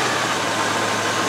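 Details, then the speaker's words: Range Rover after fuel pump replacement and previously blocked injectors now running fine, restarted cold: steady, even idle sitting a little high due to cold; no misses or knocks. "uh it's running a bit high at the moment cuz it's cold but uh that should be"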